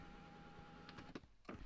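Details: Flood-damaged Rolls-Royce Cullinan power seat, where backrest and headrest move but fore-aft does not: a steady electric motor whir just under a second, then stops with a few clicks; seat motor running normally.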